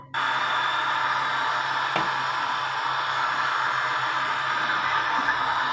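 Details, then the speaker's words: Kresek-kresek (crackling) radio static from a DHD double-DIN car head unit after repair of a no-sound fault; a steady, even hiss with no station locked in, caused by poor reception on a makeshift antenna. Sound is restored and the radio picks up signal. "Nah, itu bisa ya. Suara kresek-kreseknya. Nah, ini yang kita cari nih."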